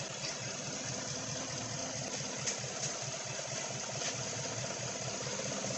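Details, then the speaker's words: 2016 Chevy Silverado 1500 5.3 V8 with code P0300, spark tester on cylinder 7: steady low idle with a faint lumpy stumble, a misfire; no spark on that cylinder, cause not yet known, coil or coil control suspected. "I'm going to go start it up I guess that tells a story there's no spark on that cylinder why is there no spark I do not know"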